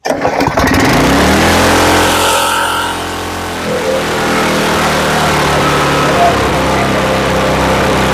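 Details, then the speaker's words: Yard Machines tiller with 6 HP Tecumseh engine, long unserviced, after oil change: cranks, catches and runs fast, slightly uneven but steady; owner suspects spark plug, else fuel delivery or carburetor diaphragms. "so as you can hear over there it's running a little rough but it is running steady"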